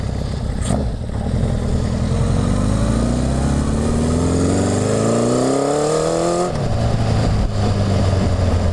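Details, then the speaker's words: Honda CB750 after full engine and carb rebuild, first test run, cold (about 50°F), no airbox, pilot jet tuned: revs climb and back off with exhaust crackle and pops on throttle change; probably needs needle and main jet adjustment. "so I tuned the pilot jet on the stand low throttle is good you can hear it popping probably needs a little needle and main adjustment"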